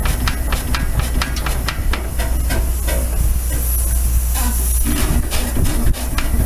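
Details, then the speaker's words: Very rare engine, few in the US: crisp even exhaust chuffs about four a second over steady hiss, all regular; called a beautiful running engine; normal running. "this is a very rare engine yes it is there's not many here in the united states and i heard from a gentleman in minnesota who that said it sounds beautiful it does it is it is a beautiful running engine"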